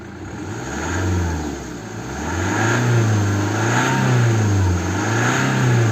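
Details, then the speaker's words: 2010 BMW 1 Series 118d, N47 2.0 diesel, after refitting a loose DPF differential pressure sensor hose: revs rise and fall smoothly with no misfire or knock, the pressure reading climbs with rpm; normal revving, sensor working. "más revoluciones, pues más milibares tenemos. Pues ya tenemos este sensor funcionando."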